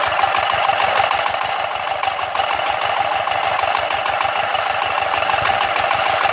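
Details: Yanmar TF115 11.5 hp single-cylinder diesel, first start after a full rebuild (new liner, piston and rings, bearings), before painting, with the injection pump and injector audible: an even, steady chug at idle, about three beats a second, no stray knocks; runs healthy.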